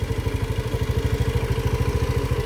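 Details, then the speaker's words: Scooter at 62,000 km just after throttle body carbon cleaning and ECU reset: fast, even putter of about eleven firing pulses a second that never settles lower; idle too high, owner plans to lower it. "So ano mukhang Napansin ko Mataas yung ano niya ah Menor niya para sa akin ha so siguro bababaan ko"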